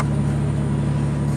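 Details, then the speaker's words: Plow truck, just after a fuel pump repair using a bucket: a smooth steady low hum with an even beat and no misses or knocks, normal idle. "it's a success oh man I were glad to hear that run again okay you see we did a heart transplant here"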